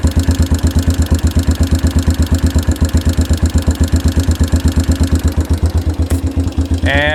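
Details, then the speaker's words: 1992 Yamaha Big Bear ATV, sat outdoors a decade, first run on choke after revival, replaced carb mixture screw adjusted: steady single-cylinder thump near three beats a second, even and unbroken with no misses; idling fine. "it's running so they fuel mixture screw had to be adjusted a little bit because it was replaced"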